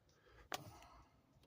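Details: Silver 2014 Scion xB, new starter just fitted: key turn gives one sharp click then silence, engine won't crank, same as before; wipers also slow; owner suspects defective battery.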